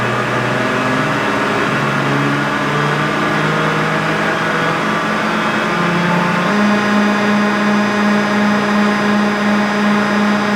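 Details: John Deere green F12-090 hydraulic motor returned for a customer-reported squeal, bench run at 2,000 rpm with no load: smooth even whir at steady pitch, no squeal or knock; normal.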